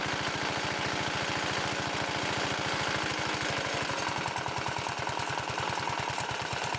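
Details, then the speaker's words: Riding lawn mower with a roughly 14.5–15 hp Briggs & Stratton OHV single, running with a newly fitted tractor-style muffler: fast, even exhaust thump at idle with rough, uneven tapping on it; owner suspects counterweights or rods knocking, plans teardown. "as you heard in the videos I'm having engine issues on this I got a it's either the counter weights are making a noise or the rods making a noise for some reason in it"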